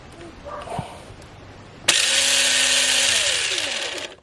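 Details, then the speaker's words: 20-year-old Tamiya M-03L RC chassis, long stored in a shed, motor bench-run before disassembly on a standard 7.2 V NiMH pack with chassis propped up; about two seconds of steady smooth high whine winding down, no rattle or scraping, healthy. "okay interesting that doesn't sound bad it sounds quite healthy uh which is interesting given how long it's been stuck at the bot with that shed for"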